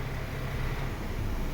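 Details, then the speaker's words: MINI Cooper Countryman that had a silent no-start, traced to a dead starter motor with water/oil stains; after the new starter is fitted it starts and settles into a smooth, even low rumble with no grinding or clicking. Normal engine start. "ครับนี่ครับติดเลยครับโหจบเลยไดสตาร์ทตัวเดียวนี่นะไดสตาร์ทตัวเดียวนะครับเครื่องติดเลย"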